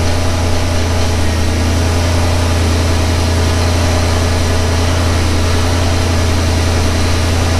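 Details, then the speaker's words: 1991 Ford Mustang GT Foxbody V8 true cold start after throttle body overhaul: deep, steady, even idle with no misses or knocks; previous idle hunting is fixed. "far so good let it idle down here a little bit well that's a heck of a lot better than what it was before i'll tell you that much yep that fixed it"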